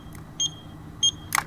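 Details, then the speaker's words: 36 V Ryobi two-battery lawn mower will not start: pressing the safety switch gives two sharp high beeps about 0.6 s apart with a flashing red light. "When I push the safety switch and try to turn it on, I'm getting a beeping and a red flashing light in the"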